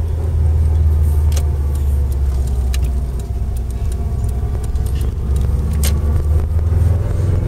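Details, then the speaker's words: Subaru Impreza WRX, driving: worn centre differential bearings give a thin whine over low road rumble that rises with road speed, not gear; prominent in first and second at low revs and speed, very prominent in third, fourth and fifth, audible in every gear. "centre diff bearing noise on a Subaru Impreza WRX. Lots of prominent in first and second gear at low revs and low speed."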